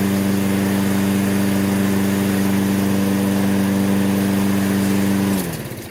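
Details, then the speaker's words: Toro self-propelled mower with Briggs & Stratton 6.75 (believed) and auto choke, after fresh gas and basic tune-up; first-pull start warming up, steady even single-cylinder drone, no misses or knocks. Complaint was no restart when hot; tune-up fixed it. "first pull it's cranking up first pull see what it does as the engine heats up"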